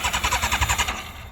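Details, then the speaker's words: Formula 4 race car on alcohol fuel, after fuel-leak O-ring repair: choppy uneven bursts about eight a second fading to a ragged low note, engine stumbling to stay running; owner suspects it floods out. "I think it just floods out."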